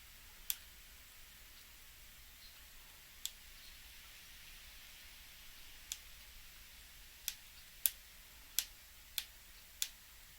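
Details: Shimano BL-M9020 hydraulic brake lever: sharp, dry clicks, sparse at first, then about one every 0.6 seconds, as the servo-wave piston guide roller jumps abruptly.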